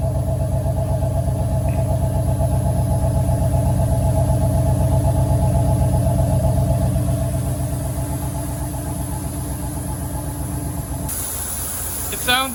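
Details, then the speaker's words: 1990 Cadillac Allante after a year of ownership, warm idle following fixes; smooth even low hum with no misses, stumbles or ticks; best it has run, though a vacuum leak is still being traced. "That sounds exponentially better. This is the best it's ever run since we've got it."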